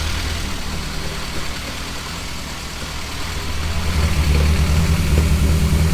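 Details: Nova with a newly finished 3-inch exhaust, idling at about 1000 rpm and running rich (AFR 10.0) with a noisy head; a deep, even throb with no puffing or ticking, no exhaust leaks: normal idle.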